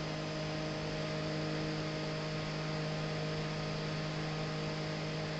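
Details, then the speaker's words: Original unmodified G5 CPU fan running at 3,000 rpm: a constant droning hum with several steady tones and a hiss over it. Loud fan noise. "Let's turn the G modified one down. So that's G5 pan unmodified noise at 3,000 revs."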